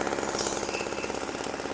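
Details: 1980s MTD Snowflite two-stroke snow blower, bought as a non-starter and unrepaired, running outdoors: rapid, even buzzing beat at steady speed, no misses or surging; sounds healthy.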